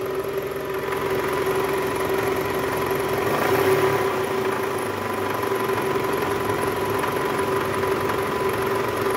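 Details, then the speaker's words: 2008 Toyota Camry XV40 2AZ-FE, just after cold start with AC on: harsh, gritty rattle in R or D, disappearing in neutral, also heard when revved, traced to worn balancer shaft gears. "Nah tadi pas Netral sempat hilang suaranya ini ketika masuk rir Bunyi lagi k gas kalau digas juga bunyi kerk"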